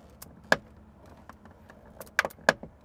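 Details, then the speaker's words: Used Bronco inspection: driver's door worked gives sharp pops and clicks with metallic jingle, passenger side doesn't pop; not proof of accident but flags possible prior bodywork. "you hear that popping sound on the other side it doesn't make that sound so that driver's side does make a little bit more noise than the passenger side"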